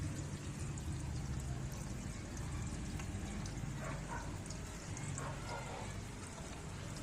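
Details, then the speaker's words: Standard single-tub washing machine after replacing the spring rubber drain valve to fix a leak underneath; a steady, soft gush of water draining without gurgling. It drains fast with no leak and no blockage. "Yan, okay naman po, mabilis naman po yung niya, hindi naman po siya nag-i-stack up. Mabilis naman po yung pagkaubos ng tubig"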